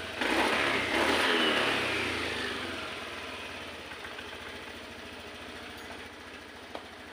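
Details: Honda Vario 110 FI scooter after a full injection service, with the data reset via a scan tool and the throttle-opening reading now at 390: sharp throttle blip winds up cleanly, then drops to a quiet, steady idle; crisp response.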